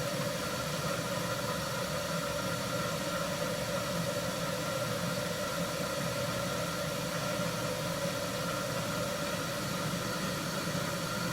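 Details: 1974 HydroTherm gas-fired hydronic boiler, first firing of the season: steady, even burner roar with low rumble, no surging, popping or rattles; pipe gauges rising, burner running normally.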